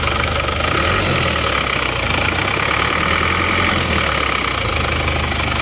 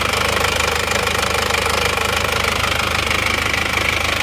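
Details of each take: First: Isuzu Panther diesel, automatic, brought in for blow-by, engine at operating temperature, idling and revved: a steady, dense diesel clatter at an even pace with no uneven knocks or misses. Runs normally; idle still needs adjusting. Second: Isuzu Panther automatic diesel with severe blow-by, oil-soaked manifold: idles with hard, regular chuffing clatter about two pulses a second, crankcase smoke spurting under pressure from badly damaged cylinder liner.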